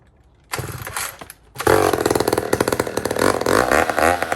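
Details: Old 150 chainsaw made in Toronto, Canada, after carburetor work, cutting a log, possibly without choke: catches after a short pull, holds a crisp high buzz with rhythmic load dips as the chain bites; running strong, cuts well.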